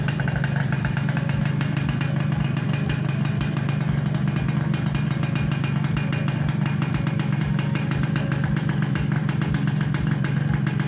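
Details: Suzuki Satria Hiu two-stroke after reassembling kick-start shaft and spring and filling 1 liter plus 50 ml oil: quick, even, buzzy idle with steady firing, no knocks or misses; runs healthy.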